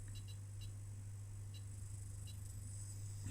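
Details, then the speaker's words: Homebrew 1980 DMI 220V/12V UPS inverter, half-bridge push-pull driven from 50 Hz input, about 60 W idle and 230 W output: loud steady hum with crackles and ticks, oscillations, worse under load; drive suspected, maybe caps; abnormal inverter hum. "and here it sounds like it's going to explode because some oscillations we've got also some nasty stuff and when I try to drive it a little bit harder sounds really really bad"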